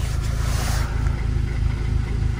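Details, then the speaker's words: VW Golf Mk5 GTI, about 113,000 miles, at idle: choppy, rattly idle with an uneven low pulse and occasional stumble. Owner suspects a misfire, not confirmed; no engine light, and it revs all right. "i'll show you guys what it sounds like it sounds pretty rattly so it looks like it's misfiring or something's not really right here"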